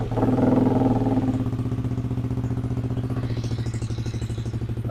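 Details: Yamaha Aerox (old model) scooter after body wiring harness repair for a dead, no-start fault, battery 12.5 V: starter catches quickly, then even, steady single-cylinder putter at settled idle, no misses or knocks; normal start and idle.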